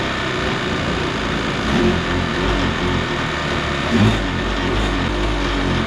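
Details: Kawasaki 750 two-stroke jet ski engine in a mini aluminum jet boat, run with the jet pump removed: steady, even drone with no knocking; the earlier bad noise was in the pump, not the engine.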